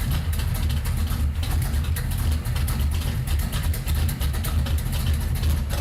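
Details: Datsun Magnum V8 with new supercharger, started using the workaround of powering the ECU after cranking begins to prevent flooding: deep, lumpy, steady V8 rumble running on its own, no misfire or stumble; normal running.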